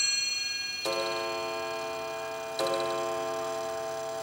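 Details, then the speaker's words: New Haven Eight-Bell Chime No. 1 clock, early-to-mid 1890s, with eight nested cup bells, restored after improperly replaced parts: quarter, three-quarter and hour chimes (quarter resembles Whittington), then clean, bright hour strikes about every 1.7 seconds; normal hour strike. "remember this is before chime clocks had standard chime melodies so here is the quarter that sounds a lot like the Whittington chime melody the 3/4 and the hour"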